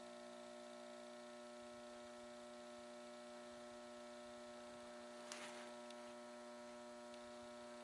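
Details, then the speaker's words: Mercury vapor yard light ballast transformer after a capacitor replacement, powered with bulb, 2.14 A, 67 W, not yet warmed up: quiet steady buzz with stacked tones and a click; still very noisy. "on well so far so good still very noisy"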